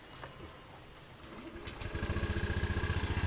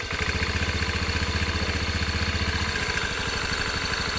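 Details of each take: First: Honda Beat 125i FI scooter after fixing a minor rattle issue (owners feared a crankshaft bearing): outdoor birds, then the engine catches and settles into an even idle, no longer shaking. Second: Honda Beat 125i Fi scooter idling with a quick, uneven rattle on each firing pulse from the CVT side; inside, the CVT is dirty, the drive pulley loose and worn, and the fly balls are checked.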